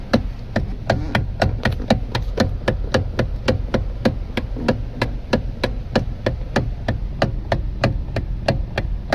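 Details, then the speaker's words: Kia Cerato electric power steering: sharp dry knocks about three a second over a quiet background, from the steering assist motor; swapping a part didn't help, motor was opened and repaired, leaving steering silent. "मेरे पास है K सिराटो इसमें problem आ रही है ये sound आप सुन सकते हैं"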